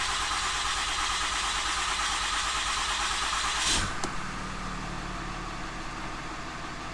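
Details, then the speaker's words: Ram 2500/3500 6.7L Cummins turbo diesel, first start after replacing both fuel filters. Several seconds of rapid, even starter cranking, then it fires on the first try and settles into a smooth, steady idle hum. Normal start. "I'm going to go ahead and attempt to start it. That was the first try."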